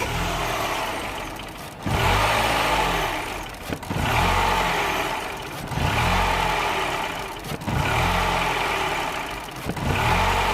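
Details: 2007 Mini One 1.4 N12 petrol before repair, with error 2982, bouncing idle and stalling, started while the sensor signal is back-probed: idle rises and sags about every two seconds in a steady hunting cycle.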